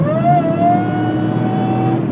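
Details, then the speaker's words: Supercharged engine at full throttle: a steady high squeal rides over the revving engine and holds pitch under load. The supercharger belt slips once boost builds, so no boost; it needs a new belt or tensioner. "Oh yeah, that's a bad belt squeak. When the belt squeaks, it makes no boost."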